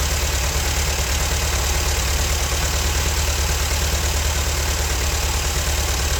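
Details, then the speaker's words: Old Ford tractor rained on for years, running on a makeshift fuel feed: low, even four-cylinder rumble idling steadily with no clatter, misses or knocking, no smoke; healthy, though oil pressure gauge read nothing. "but dang I mean that thing ran good didn't smoke at all I think we got a good runner"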